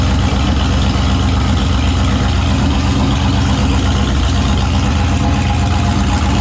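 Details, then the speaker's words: Turbo 5.3 LS V8 Mustang build, first successful naturally aspirated startup after fixing a weak-battery starting issue and swapping the passenger-side injector harness wiring; heavy low even rumble holding a steady idle without stumbles or misfires, normal idle. "all right so that's now a successful na startup one day behind schedule but wow that's okay"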